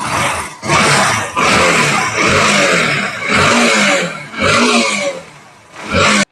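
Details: Motorcycle whose electric start would only click runs and is blipped hard about once a second, revving cleanly, after new carbon brushes were fitted to the starter motor; the starter motor still needs replacing.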